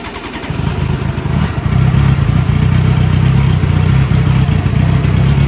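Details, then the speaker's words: Fuel-injected Suzuki GSXR 600, stolen and recovered, hot-wired to run with no exhaust muffler and a heat-operated exhaust valve, barely run yet. It catches into a loud, raw, barky open-pipe rumble. Runs well, but throttle response is lacking. "runs really well from the way it sounds obviously i'm missing an exhaust a muffler uh and you can tell the throttle response isn't quite there"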